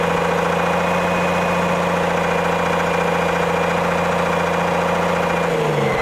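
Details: Autosan H9 bus diesel just started after a long standstill: even, rapid clatter at a steady idle that holds, then slows right at the end; running normally.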